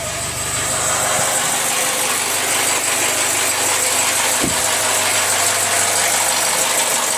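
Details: Jaguar F-Pace 204DTD diesel, self-rebuilt with used polished crank, engine mount just connected: loud harsh idle clatter with ragged uneven ticking; rough, owner unsure if normal, suspects exhaust blowing or needs warming up.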